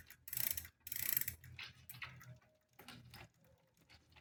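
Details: Smith First bicycle being pedalled: light, uneven scraping ticks once or twice a second. The sound was first blamed on the bottom bracket, but a faulty crank arm let the chain rub the derailleur; it was fixed with a new Shimano crank arm.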